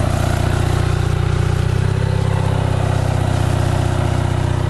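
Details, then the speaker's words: Onan 5.0 CCK-4R 5kW three-phase dual-fuel genset, second leg loaded to about 1400 W (full tilt, full fan), reading about 120V, 61Hz: steady, low, even drone holding pitch, no misses or knocks. Purring, running cleanly under load. "Full tilt, full fan. Should be about 1400 again. There it is, purring like a kitten."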